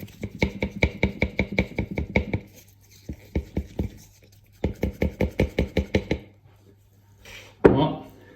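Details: Arnott AS 3380 air suspension strut for Tesla Model S, only four weeks old: quick hollow clacks about six a second in bursts as the strut is worked back and forth; strut knocking, suspected defective.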